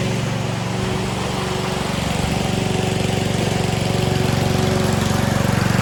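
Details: Self-propelled lawn mower after an oil change, new blade bolts and drive spring: steady, even single-cylinder chug at fast idle, possibly on choke, no misses or knocks, throttle smooth; runs healthy.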